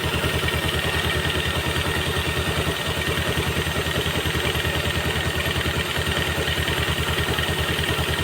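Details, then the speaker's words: Yamaha Jupiter MX after replacing the damaged piston and connecting rod, which caused loud klotok knocking: steady smooth single-cylinder idle with open carburetor intake hiss, no filter fitted; normal idle. "Ini hasilnya sangat halus bagi saya ini sangat halus itu karbonya enggak ditutup ini enggak ada filternya jadi kayak suara karbonya dia terasa tapi untuk mesin sangat halus"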